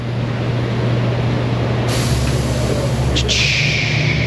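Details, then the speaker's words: Toyota 4Runner centered on the alignment rack plate: a low steady hum, then two sharp air hisses as the pneumatic safeties release, showing the rack unlocks normally with the car centered. "You can't see the screen, so I just go to the center of the plate, and then we'll hear it unlock the safeties if it's right."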